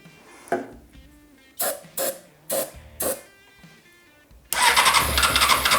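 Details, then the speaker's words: Non-running 2006 Honda CBR600 F4i, fed starting fluid: several short cranking bursts, then catches and runs loud and ragged; runs only on starting fluid, owner suspects no fuel delivered from injectors. "It will run on this stuff. Not well, but it will. So that means to me, either one, I'm not getting any fuel delivered from the injectors"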